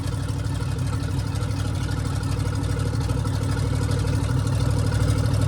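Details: Custom cabover V8 with a carburetor fed from a custom fuel cell and only one muffler fitted: a deep, steady idle with a loud, open exhaust bark and even firing pulses; it runs smoothly.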